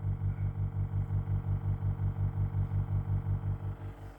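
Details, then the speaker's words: Used Denon DP-300F turntable with the belt removed from the motor pulley; the motor won't start by itself and is hand-started. A deep throbbing hum, nearly three per second, is also heard through the speakers. The fault developed after 10 minutes of use; the motor, power supply or electronics are suspected. "wenn ich den Motor dann per Hand anwerfe hört man dieses Geräusch aus dem Boxen hört man entsprechend auch ein leichtes Wummern"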